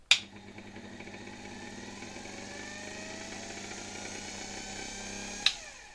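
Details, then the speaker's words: Electrolux V vacuum (probably 1924) with transplanted stator and rotor, run unloaded without suction unit fitted: switch click, smooth whirring hum climbing steadily in pitch, even and clean until switch-off; could overspeed, but the motor works. "Może wpaść w zbyt wysokie obroty, ale okazuje się, że silnik jednak jest sprawny."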